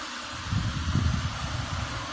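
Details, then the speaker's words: Auction-bought vehicle with almost 400,000 miles, restarted and revved a little; steady low idle rumble with soft even beat, no knocking or skipping after the blip; normal idle. "And look at this, it's purring. Come on now. Rev it up a little bit. 400,000 miles. No knocking, no skipping."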